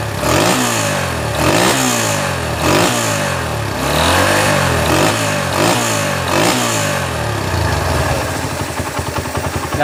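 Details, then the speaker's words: Honda GL Max motorcycle after cam (timing) chain replacement and carburetor cleaning, valves not adjusted; idles evenly and revs cleanly with no rattle or carburetor popping, back to normal. "bunyinya setelah kami mengganti rantai kam, teman-teman. Kembali normal, kan?"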